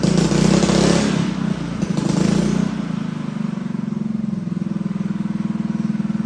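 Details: Honda GX200 clone single-cylinder engine clamped to a table stand, choke on, first start after build; catches and runs rough, firing about three times a second, hunting and sagging; needs rejetting.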